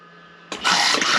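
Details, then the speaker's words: Hymer MLT 580 motorhome after fresh water pump upgrade replacing unreliable low-pressure Reich pump: toilet flush, quiet then a sudden strong steady rush of water, about five times the old pressure; healthy flush. "oh my goodness it's like a real flush that is about five times the pressure what it used to be"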